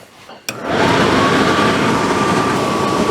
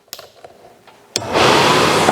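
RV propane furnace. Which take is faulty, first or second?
second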